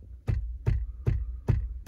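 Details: Toyota Prius instrument panel noise: tapping by finger produces five sharp evenly spaced knocks about every 0.4 seconds, each a short buzzing rattle from a loose part behind the dash while the panel is being dismantled.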